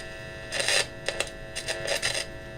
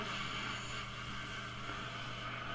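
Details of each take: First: 1953 Vidor CN426 AC/battery portable valve radio, heard through the speaker while tuning with a signal tracer at the volume control: quiet hiss with faint scratchy bursts and whistles, stations barely getting through. Weak reception; oscillator suspected not running, paper capacitors suspected faulty. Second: 1953 Vidor CN426 suitcase AC/battery portable valve radio, after repairs including a valve change, valve base repair and wire repair, tested with an antenna instead of the generator: steady soft hiss with faint low hum, no crackle or dropouts; working normally.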